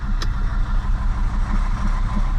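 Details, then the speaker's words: Jeep Grand Cherokee WJ 2.7 CRD (OM612 diesel) that smokes a lot, running about 10 minutes after a new oil filter, with the water-in-diesel light on. Rough idle with a regular knock about three a second and uneven firing. Misfiring and knocking at idle. "well we are about 10 minutes in and the water in all no in diesel lights came on and then a lot of misfiring and a lot of knocking"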